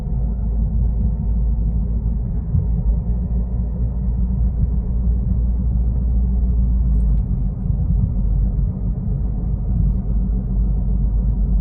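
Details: Toyota Corolla Altis, heard inside the cabin while driving: steady low droning rumble throughout with nothing sharp on top; bad wheel bearing noise.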